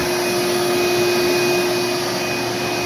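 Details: Shop vac running: a loud, steady motor roar with a thin high whine riding over it throughout, from worn motor bearings.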